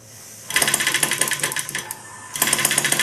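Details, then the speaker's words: Maier TA4 model engine on gas during tuneup, mixture set slightly rich: fast sharp ticking firing pulses run unevenly and briefly drop out before picking back up. It fires on most revolutions; intermittent firing. "firing on most revolutions you can hear it fire you want it a little bit rich"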